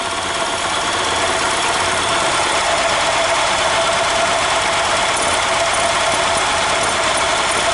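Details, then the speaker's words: EZGO Workhorse golf cart, Robin ST350 engine idling in neutral with the breather off: steady, even idle with strong airy intake hiss, no knocks or misses; engine has vacuum though no gas seen coming out. "I mean the engine's got vacuum you hear it why is see no gas coming out well anyway I'm showing you guys it's running"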